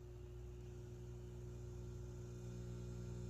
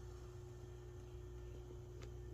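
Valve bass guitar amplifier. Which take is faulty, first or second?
first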